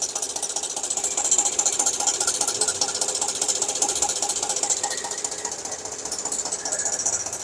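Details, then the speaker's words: 2012 Hyundai Equus engine idling: quick, even metallic ticking and rattle, loudest on one of four knock-sensor channels; a stretched timing chain is suspected, calling for a full timing set replacement. "에쿠스 12년식 엔진에서 딱딱 딱딱딱딱 소리가 나가지고 아 점검을 한번 해 보겠습니다"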